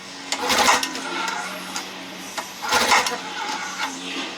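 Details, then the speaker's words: 1956 Evinrude 7.5 hp outboard during link and sync setup, thought to have 90 even compression: two short hand pulls with quick, evenly spaced compression puffs and no scraping or knocking; compression sounds even and healthy. "Alright. I think he said it had 90 even compression. I like it."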